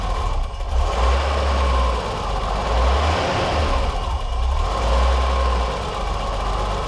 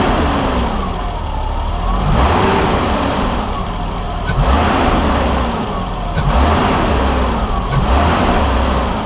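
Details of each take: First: 1989 BMW 325i E30 after a timing belt, water pump and gasket job: uneven six-cylinder idle that swells with throttle blips, drops when the throttle closes, then returns to a smoothish but unsteady idle. The fix involved the pulse sensor. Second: 1989 BMW 325i E30 after timing belt, water pump and gasket job and refitting the missing pulse sensor: straight-six idles fairly steadily with low even hum, much better than before rough idle.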